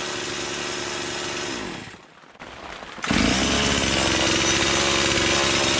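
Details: Stihl MS170 with Amazon replacement motor, after swapping the Holzfforma carb for a brand-new stock OEM Stihl carburetor: brief drop to near idle, then clean steady high-rev buzz, less smoke; owner says it woke it up; normal running.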